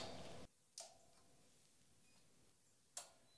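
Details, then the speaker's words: SolarEdge PV inverter with battery and Backup Interface, still in backup mode with the grid off, restarted after an overload shutdown: two sharp relay clicks about two seconds apart in a quiet room as it switches back in, a normal restart. "Okay, nach der Überlast muss also das System einmal neu gestartet werden, funktioniert aber."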